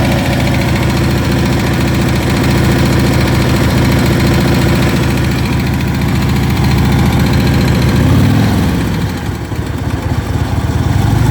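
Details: Ultra Limited V-twin loud lumpy idle with a fast light tick riding on each beat, steady with engine speed; engine ticking, source undetermined.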